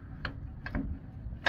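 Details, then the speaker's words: Allis Chalmers 712H tractor running with the PTO on: sharp, uneven ticks over a low engine drone. The bevel gearbox shaft has side-to-side play and bounces back and forth with engine RPM. "I'm not sure how good you're going to hear it but this uh shaft in the beveled gear box has side to side play"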